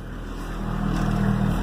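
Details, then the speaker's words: Chevy diesel short school bus RV conversion, starting after the glow plug light goes off; low steady diesel rumble firms up and settles into idle, no knocks; owner notes hard starts happen with a low battery; normal start and idle. "you see the glow plug light light up now the watery gas light goes away really fast and the glow plug light sits there and now it's off now the bus starts right up"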